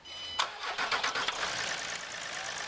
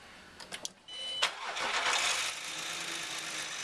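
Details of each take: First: Land Rover Discovery 4 SDV6 3.0L diesel after replacing the failed drive belt tensioner: quick crank, fires cleanly, settles into an even idle with no rattle from the belt side. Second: Land Rover Discovery 4 SDV6 3.0L diesel cranking, catching, then idling under a loud, harsh hissing rattle from the front drive belt, with the idler bearing jittering; cause a failed drive belt tensioner, later replaced.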